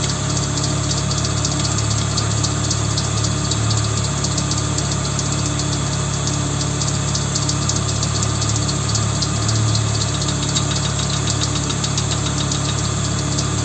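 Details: Volvo 850 idling with a regular tapping knock, about three to four per second, riding over the low hum; a knock inside the engine.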